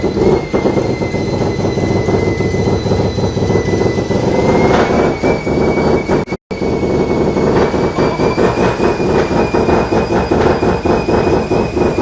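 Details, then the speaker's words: Mazda FD RX7 bridgeport rotary with T51R single turbo conversion, oil feed and housings checked, no scraping, test run: loud even rotary run with steady turbo whistle, no grinding; turbo spools down easily; normal running. "And that ran fine. The turbo spooled down nice and easy."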